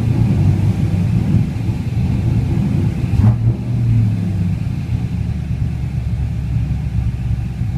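Deep V8 idle rumble with an uneven, lumpy beat and a small surge midway; a rough idle, cause not yet known.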